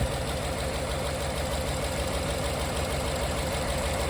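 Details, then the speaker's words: Coyote V8 swapped into 2014 Expedition, first start-up at idle: rough lumpy misfire; unplugging injector connectors made no change on several, so likely running on about five cylinders, suspected clogged injectors from bad old fuel. "no change on that one. So, we're probably running on like five cylinders."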